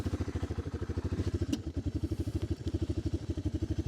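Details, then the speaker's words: 1988 Honda TRX300 FourTrax single-cylinder after carb work, riding in gear: a fast, steady putt that briefly stumbles and loses beats, a little boggy, but it takes throttle better than before. Engine cutting out. "hear it cutting out a little bit shif her up into gear just a little boggy does seem to be running pretty decent"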